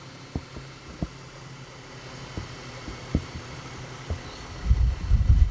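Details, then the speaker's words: 2010 Ford BF Falcon wagon idling after replacing the water pump. It was clanky at first, then settled. Quiet low hum, few soft thumps, no clanking or pulley whir. Mystery noise considered fixed. Normal idle. "So I'm going to consider my mystery noise fixed, because that's just nice and quiet. It was a bit clanky initially, but it it's all settled in nicely now."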